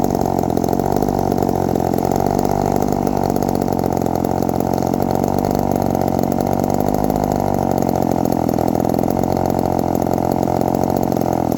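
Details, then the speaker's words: 1972 Remington two-stroke chainsaw after the idle screw was adjusted; a smooth, even burble at steady low revs with no hunting or stalling. It is idling cleanly. "yeah I think I'm happy where she's at she's sounds like she's pretty idled which is pretty well good so I think it's addled pretty well"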